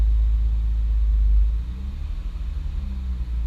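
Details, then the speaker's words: 2006 Honda Accord J30, dual throttle bodies, RDX injectors, Hondata FlashPro, on the dyno after a nitrous attempt: deep rumble swelling, dropping and wavering unevenly, surging that won't stop; idle surge from a corrupted ECU map/tune. "Just pull the thing off. 'Cause it's just gonna keep surging like that. It won't stop."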